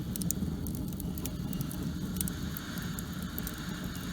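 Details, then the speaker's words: Rocket stove steam boiler with a newly modified firebox, loaded with wood; the air tube is open and it gained about 20 degrees. A steady low rushing roar with faint crackles from a strong, even draft. Burning well. "So we gained like 20 degrees making that firebox like that. You can even hear it now, it's roaring."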